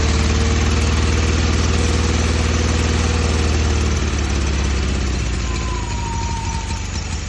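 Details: Newly swapped carbureted engine, running after the fuel line, filter, throttle and exhaust were hooked up. The idle is uneven, its beat wandering and the speed sagging toward stalling. Rough, unstable idle.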